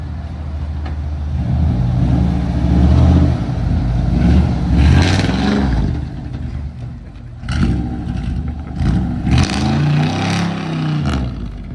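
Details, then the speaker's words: Fire-damaged 1998 Chevrolet K2500 big-block V8 driving through gears to test the transmission: deep, loud rumble swelling with revs and shifts, harsh open bark; sounds like no exhaust, cause suspected not confirmed; shifts good. "All right, let's go. This thing sounds like there's no exhaust on it."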